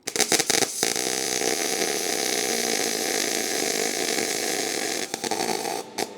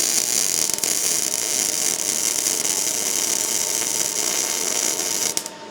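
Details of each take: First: MIG welding thin exhaust pipe: steady crackling arc falters and breaks up as a brief pause lets heat run away and blow a hole through; burn-through from excessive heat, fix by turning down to 18 volts and welding in sections. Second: MIG welding exhaust pipe: popping, sputtering crackle leaving BB-like beads evens into a steadier frying hiss as voltage is turned up while welding; too far blows through.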